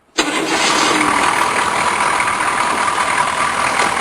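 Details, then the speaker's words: 6.2 diesel with 245,000 miles, cold start after glow plugs heated on drained batteries; quick crank, catches at once, settles into a steady even clatter with no misses; runs pretty well, healthy. "runs pretty well for 245,000 Mi"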